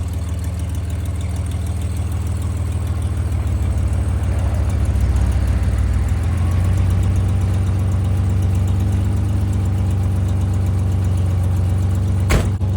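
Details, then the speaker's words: 1986 Nissan 300ZX, first start after a new crank angle sensor, spark plugs and cables with the ignition timing advanced: uneven, lumpy low idle with a wavering note that steadies a little. Engine running rough, cause unclear. "Something doesn't sound very happy."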